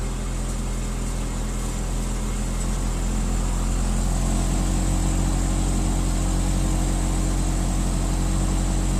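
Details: Saab OG 9-3 started after fuel filter replacement, with the key cycled several times to prime the fuel pump: the engine catches and settles into a smooth, even hum with no stumbles or knocks.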